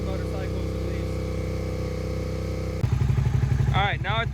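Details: Suzuki SV650 V-twin, abandoned for years, first start after oil fill with 10W-40 and battery fitted: fast steady idle about four beats a second, not settling; idle too high, unsure whether there is a choke, cause unconfirmed.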